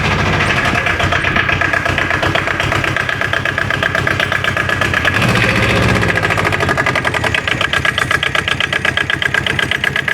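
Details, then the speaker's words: Aixam Crossover microcar idling after its variator (gearbox side) and accelerator cable were replaced with an aftermarket variator; steady, even clatter with no metallic rattle, and the earlier scrap-iron noise from the variator is gone. "du coup on a pris une adaptable et ça fonctionne très bien"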